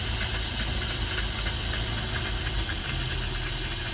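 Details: Mercruiser Thunderbolt 4.3 V6 marine engine upgraded to a Delco EST distributor, during base timing setup with the set-timing connector: smooth, even idle with a steady low rumble and light hiss, no misses or knocks.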